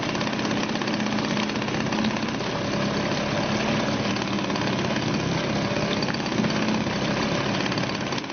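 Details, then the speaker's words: Suzuki DT 2.2 HP two-stroke outboard just started in a test tank, choke now off; steady even buzzing tick-over with no misses or knocks, holding speed smoothly, cooling water flowing; healthy idle. "That's it, that's ticking over now without any choke on."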